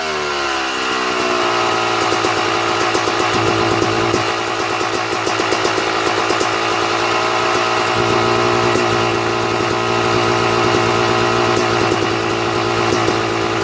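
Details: Two-stroke dirt bike with Mikuni/Keihin carburetor, pilot air screw turned out an extra turn and a half: idle fast, buzzy and higher than normal as it draws more air; lean mixture.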